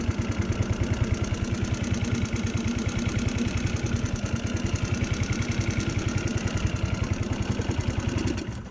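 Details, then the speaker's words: GY6 scooter after replacing the stripped carburetor idle speed screw and spring: steady, even single-cylinder idle with no stumbles or surging; fixed. "Oh, okay. There it goes. There it goes. It's fixed."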